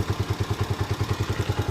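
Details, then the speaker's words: TMX125 Alpha with hard starting and stalling, apparently losing electrical power, after shop repair: it starts on one click and idles with a steady, even single-cylinder putter, no stumbles. It no longer dies; normal idle. "Ano siya? Hindi na siya namamatay. Hindi kagaya kanina. Namamatay siya."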